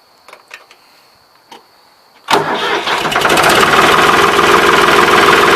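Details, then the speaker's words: Ford 3910 tractor diesel with old muffler, weld broken and repeatedly rewelded: cranks after a few clicks and fires into a loud, raspy chuff about four per second with sharp crackle, exhaust escaping from the broken muffler before replacement. "here's what it sounds like with the old muffler so uh i'm gonna get this muffler off of here and i'll show you guys the main problem with this muffler the weld down here is actually broke"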